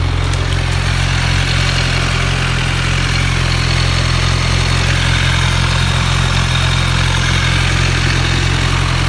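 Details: 2010 Kawasaki Z1000 idling with a fast light ticking, about four clicks a second, also heard while riding; owner first suspected valves or timing chain tensioner, but the cause was a loose exhaust manifold bolt.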